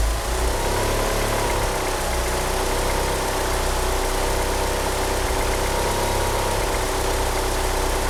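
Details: Car fitted with 850cc injectors, at idle: a lumpy, uneven idle whose shaky low beat wavers instead of holding steady, with a slipping power steering pump belt. The car won't rev up. Rough idle, cause unconfirmed.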